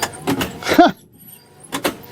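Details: 1964 Ford Custom 500 with 91,411 miles and a seized 289 V8, engine not running: soft electric whir rising and falling in short sweeps with quiet pauses as the wiper motor works. Wiper motor running.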